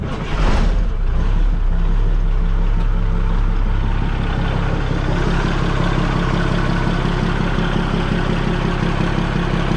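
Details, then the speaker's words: Older S Series 2300 semi truck with L10 diesel and new belt, low on fuel: cranks and fires within half a second, then holds a deep, steady idle with no knocks or hunting; sounds good. "Sounds good. I need to go get some fuel for it."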